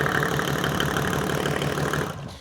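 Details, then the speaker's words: Rebuilt Mercedes OM606 diesel, hot, 5W40 semi-synthetic oil, settling back to idle after a blip: even clatter, no knocks or misses; oil pressure around 20 psi at idle, 40 at 2,000 rpm, 60 max, normal. "So at idle we had around 20 psi, about 2,000 RPM we were getting around 40, and then if I revved it up, it maxed out around 60 psi."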